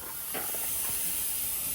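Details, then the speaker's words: Peterbilt 579 truck parked, engine off: steady airy hiss of an air leak; owner suspects a line into the cab leveling valve, bottom side on the other side of the frame; not confirmed. "You hear my air leak? Yeah, I heard it."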